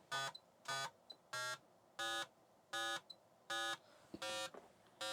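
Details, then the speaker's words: 286 PC deliberately underclocked toward 1 MHz, running Speed 600 real-time speed test: PC speaker gives short bright buzzy ticks about 83 a minute, slightly uneven, on quiet background; CPU still running. "is to run speed 600, because it's a real-time speed test. And with the speaker hooked up, we're gonna hear the ticking coming out of it."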